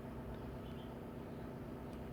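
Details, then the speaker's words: 2011 Scion xB 2.4L with history code P1605 rough idle: steady, low, even rumble at slow idle near stalling but not dying; dirty throttle body suspected, not confirmed. "So like the customer mentioned, that this vehicle sometimes tends to idle real low."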